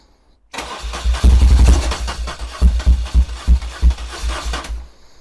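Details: 1978 BMW R100S airhead twin after a multi-year slumber, cylinders lubed, float bowls inspected, full of oil, first start attempt with choke then without: starter churns it in uneven heavy chuffs for about four seconds, no catch, lots of smoke; cranks but won't fire.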